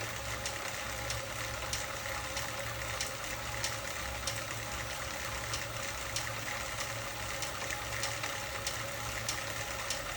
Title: Ticking Noise Sek 1-18